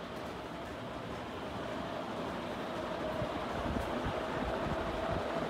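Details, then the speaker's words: Jamaica Wind ceiling fan after two months of use, running at speed 4: a steady rushing air whoosh with a constant hum, and loud bearing noise. "And now let's do speed 4. Now it's getting really noisy. You can hear the air noise and the bearings are like very"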